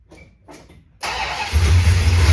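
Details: 1969 Dodge Super Bee 440 Six Pack, cold start at 43 degrees; earlier it only clicked, battery later found dead after charging. About a second of weak cranking, then it catches cleanly into a loud, even V8 rumble; it always ran rich.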